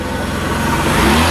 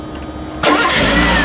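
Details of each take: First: Mercedes W124 300E after fuel pump replacement: the engine pulls up smoothly and evenly with no knocks, misses or rattles. Normal running. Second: Mercedes, cold start after a fuel pump replacement, filmed from above the engine. The engine fires, then a shrill high squeal sits over it for about two seconds and fades as idle settles; a belt squeal is suspected.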